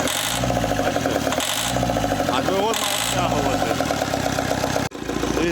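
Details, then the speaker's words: Opel Vectra C Z19DTH diesel, engine rebuilt after a crash and wiring repair, fuel lines opened, no diesel reaching it: rough, lumpy clatter that surges and sags with each ether spray and heavy smoke; runs only on starting fluid. "О, пошла. Хорош запустили. Єле-єле щось працює. Диму повний кооператив."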